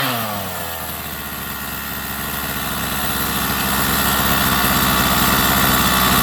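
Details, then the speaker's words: Rovan 45cc two-stroke in XLT RC while tuning (idle opened, low-speed leaned): uneven, choked buzz as revs climb, "not breathing"; owner thinks the head broke loose and needs tightening, then sets low speed to 1.5 turns out and it wakes up. "It's like it's not breathing. This engine, I gotta tighten up the head. I think that the head broke loose."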